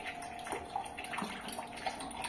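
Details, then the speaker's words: Newly installed Electrolux water purifier/filter: soft, steady rush of running water with light splashing and no sputter. Flow is much stronger than before, a normal, free flow. "É mas agora ficou bem mais potente do que ele era né"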